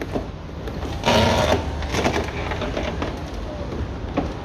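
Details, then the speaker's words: 1999 Seat Toledo Mk2 1.9 TDI AHF 110 hp, power window: whirring, grinding drone that strains and slows near the bottom; owner suspects the regulator cable is tangling on itself or fraying. "cuando llega abajo se pone bastante lento vale escucháis el ruido no Bueno pues vamos a determinar de Qué es ese ruido que creo que será el cable que se está en relando sobre si mismo o se ha despeluchar algo pasa ahí"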